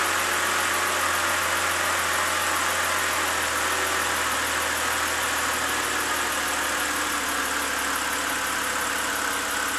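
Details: BMW 328i inline-six after replacing the cylinder 6 ignition coil and spark plug for code P0306 misfire (previously rough idle, rich fuel smell), code cleared; smooth, even idle with steady low hum, no stumble or miss; normal idle.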